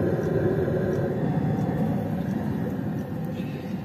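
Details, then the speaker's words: Autoterm Air 2D diesel heater, installed in a petrol Mercedes 310 T1 van with extra diesel tank, recorded under the van: steady intake air rush with evenly spaced clicks from the fuel pump; exhaust quiet, no smoke or smell; normal running. "under the van you can hear this clicking noise from the fuel pump and the other noise that you can hear is from the air intake the exhaust pipe is absolutely quiet and there is no smoke and no smell at all"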